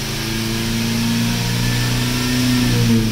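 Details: Chrysler 300C 5.7 with newly installed 240 amp high-output JS alternator, tight belt, while revving: thin steady whine rising slightly with revs, voltage seems low; owner suspects belt slippage, cause unconfirmed.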